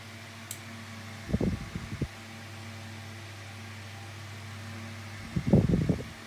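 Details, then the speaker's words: 2000s Tesco DF96 9-inch desk fan on lowest speed with oscillation on: steady low motor hum with a burst of rapid clicking about every four seconds as the head swings; oscillation mechanism clicks but works fine. "so you can listen to it now and that's the clicking noise it makes but it oscillates about that way perfectly fine"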